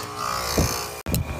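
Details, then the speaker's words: AC condenser after replacing a bad 30/5 run capacitor (fan side had read low): smooth, steady motor hum with soft airy fan rush and no buzzing; running normally, blowing heat out the top, rather than the compressor being bad. "Okay, it's purring like a kitten, putting out heat out of the top."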